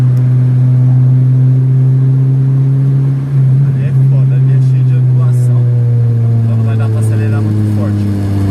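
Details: Chevrolet Vectra after fixing heavy misfiring, hard acceleration demo on a night drive: strong, steady engine drone under hard throttle, pulling smoothly without stumbles or misfire pops; normal acceleration.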